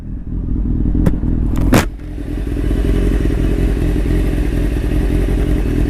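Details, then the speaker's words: Restored 1995 Honda CBR600F3 (engine largely redone), fully warmed up in the garage after its first real ride: steady, even, low idle with a couple of clanks near the start, settling smoothly; running great. "running great that's how she's all warmed up now it tells you the happy bike now"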